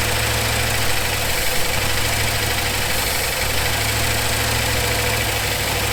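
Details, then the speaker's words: 1974 Ford F100 4x4, long parked, choke open and unhooked: steady, even idle with smooth low rumble, no misses or knocks; engine running well. "Chokes all the way open because we forgot, I didn't hook that up, so. that does pretty good."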